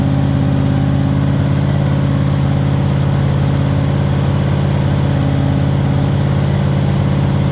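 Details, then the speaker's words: Thunderbird Town Landau after 460 V8 swap with C6 transmission, heard from the rear: deep, even rumble at steady idle with smooth blips, good oil pressure, no knocks or ticks; normal running. "Well, we got good oil pressure. Thing seems to be good. Hear any weird noises? That's what it sounds like from the back now."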